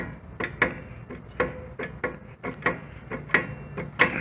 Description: A bad wheel bearing that was caught during a brake job for one of our customers.